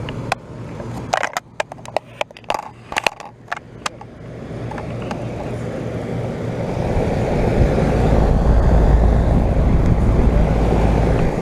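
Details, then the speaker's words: 2012 Bryant Legacy air conditioner outdoor unit restarting after coil cleaning, 88°F day; clicks then smooth steady fan and compressor rush, better airflow, compressor more audible, some rattle; running normally. "all right so we're about ready to fire this thing back up so hit it [Music] that thing sounds much better"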